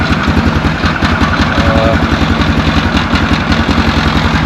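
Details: 2004 Yamaha Grizzly 660 single-cylinder, old, after no-spark repair and oil change: steady even idle thump, no knocks or misses; normal idle.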